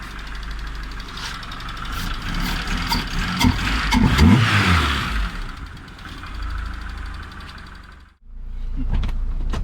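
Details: Honda B20 VTEC in a car originally fitted with a D16A9, after the faulty distributor wire behind a no-start was fixed: fires, revs rise and fall smoothly, then settles to a steady even idle without misfire; normal idle.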